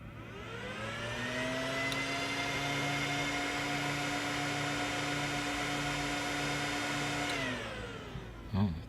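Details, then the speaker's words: Old 3Com network switch fans run from a homemade PWM speed-control board on 12 V: turned down, a steady high singing whine with pulsing hum as fans slow without stalling; PWM drive whine. "we get more into the singing of the pulse-width now the fans aren't stalling they're still running but you get that awful pulse-width noise that come"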